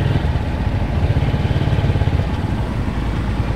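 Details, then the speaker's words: 18-year-old 2003 Honda Tiger just after engine rebuild (oversize 25, NPP piston set, Motul 3000 plus 20W50), being broken in: smooth, even low engine beat with steady pull under light throttle, no knocks or rattles; pulls well, normal running. "Masih enak banget teman-teman, tarikannya masih enak ya."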